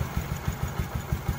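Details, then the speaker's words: Honda 67 SS50, over 80% original, at idle: even low thumps about six a second with no misses or knocks, a loose fuel tank rattles; steady, smooth, healthy idle. "Để mình cho các bạn nghe tiếng máy nha. Có bình xăng rơ kêu các bạn."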